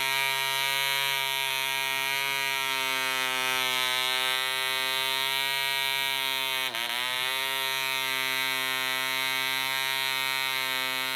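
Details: DC Spitfire 1cc model diesel on an 8x4 prop, D2000 fuel: high buzzing note mostly steady then briefly sags, uneven running as the loose needle valve rotates with vibration and the compression screw winds itself out.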